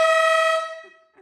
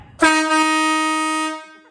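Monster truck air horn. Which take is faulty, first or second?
first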